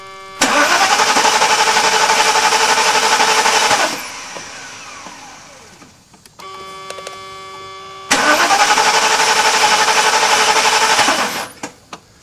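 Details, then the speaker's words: 1991 Mercedes-Benz 420 SEL that broke down after a heat soak on a 91–92°F day. The starter cranks steadily at about four turns a second but it never fires; no change on the coil primary voltmeter, so the coil is not being told to fire. "So we're going to go ahead and crank this thing again and see if we have any kind of change in state on that voltmeter, plus or minus voltage of any kind whatsoever."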